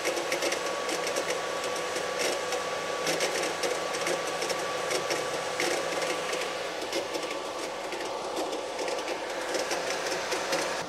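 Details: Microhydro turbine at 116 psi, first start of the season after new hoses, supply valve opened fully: steady rushing water spray with an even mid-pitched hum holding constant; up to speed and running smoothly.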